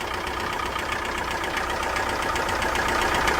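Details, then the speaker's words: Chrysler PT Cruiser engine run without oil after another shop replaced the oil sending unit: sharp rapid knocking, about four a second at idle, over a rough note, with blowby and oil leaking. Engine destroyed from oil starvation. "Oh, so it's knocking. Oh, blowby. Well, yep, they destroyed it."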